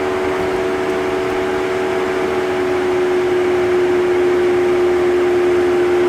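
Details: Jeep Wrangler 4xe charging at 120V (about 13 hours from 0% to full) at 30 °C (86 °F) outside: loud steady hum with even airy rush, no surging, continuing until charge ends or unplugged; normal battery cooling fan noise.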